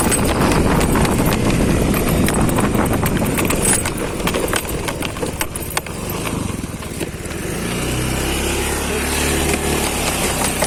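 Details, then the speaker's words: Honda Beat scooter ridden fast: steady engine drone and road rush, no final drive whine anymore; final drive healthy. "Tapi ini sekarang alhamdulillah sudah lebih yoi lah, nggak ada suara lagi rolling bambunya."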